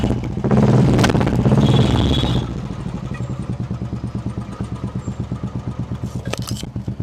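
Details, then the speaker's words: Royal Enfield Classic 350 single, after replacing the hydraulic tappet to cure a tik-tik noise and a few days of riding: after a brief loud burst, a steady, even thump with no tapping on top; quiet, healthy idle like a new bike. "अब यहां पर आप लोग देख सकते हैं hydraulic change करने के बाद आप लोग को अब इंजन में थोड़ा सा भी आवाज नहीं आ रहा है अब एकदम न्यू बाइक की तरह इस इंजन का आवाज आप लोग को सुनने को मिला"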